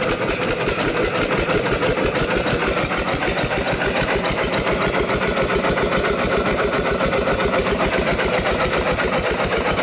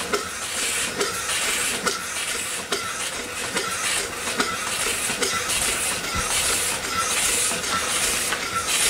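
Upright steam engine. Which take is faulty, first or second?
second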